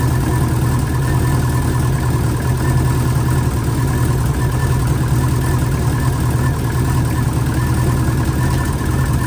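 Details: Freshly installed engine in an 04 Subaru, first morning run after filling oil and coolant and bleeding overnight: steady, even idle with a smooth low burble and no knocks or misses for nearly ten seconds; healthy. A coolant leak was later believed fixed at a cylinder-4 cooling-mod fitting.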